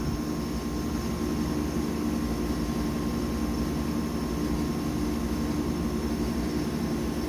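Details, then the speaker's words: Denton DV502B vacuum evaporator, auto vent pushed after lowering the bell jar: steady, even hiss of air rushing in over a faint constant hum, no sputter; the chamber is venting normally. "so I have the auto vent pushed everything's satisfied and you can hear that it's venting and going up"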